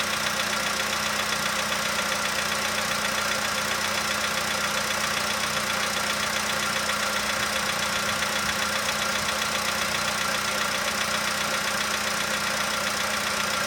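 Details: 2015 VW Polo sedan cold start, outside −2.5°C: fast even tick about two per second over steady idle, quieter as it warms; owner suspects cold valve or hydraulic lifter, unconfirmed.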